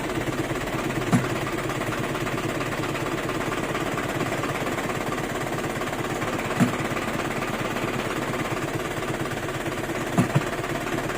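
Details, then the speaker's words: Isuzu 4JB1 diesel truck idling after clutch repair: steady even idle, a couple of faint clicks, no gear whine or rattle. The very loud transmission noise is gone; the clutch still needs slight adjustment. Normal idle. "Wala na yung, yung ingay ng ano, sa transmission na, na sobrang lakas, no? Wala na yung tunog, no?"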